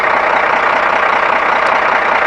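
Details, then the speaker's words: 1991 Ford F800 boom truck, rebuilt Ford six-cylinder diesel with 200,000 miles, just driven about 120 miles: steady, even idle clatter with no misses, knocks or surging; it runs like a sewing machine. "Runs like a sewing machine. We drove it, about 120 miles to get to where we are."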